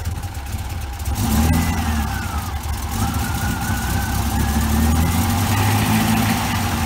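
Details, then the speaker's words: 1981 Rover SD1 V8 idling very low, just after timing reset, with a rough rumble and faint wavering whine; nasty noise from the worn viscous fan coupling, which needs replacing. "there's a nasty noise from the viscous coupling so that needs to be changed but that will have to wait for another day me thinks"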